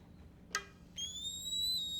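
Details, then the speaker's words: Air Venturi Avenger .22 PCP air rifle being filled to 300 bar: thin high whistle starting abruptly, holding steady and creeping slightly upward as air passes the front check valve; normal check valve whistle. "That whistling you hear is normal. It's the air moving past the check valve up here in the front. Some guns may do this, some may not."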